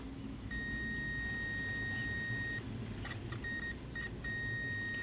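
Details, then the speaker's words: Zenith 24MC32 color roundie TV chassis, mid-1960s, on jig before repair: meter gives long steady continuity beep then short broken beeps over faint hiss, probed parts reading as shorted; old electrolytic capacitors suspected, not confirmed. "almost like something was shorted here everything here all of these tests like they're shorted even this thing right here really"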